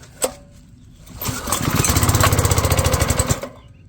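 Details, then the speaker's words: Pressure washer small engine, cold start with choke on half: fires and chugs roughly about three and a half beats a second for two seconds, then dies; owner suspects too much choke. "All right. Maybe got too much choke on now. Sound like too much choke."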